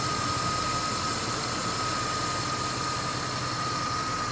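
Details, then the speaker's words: 1994 Chevy Caprice LS small V8, warm, right after a hard drive: smooth, even idle with a faint steady high tone and no knocks, misses or stumbles; healthy engine. "she just sounds great she's in and i just got through romping on her"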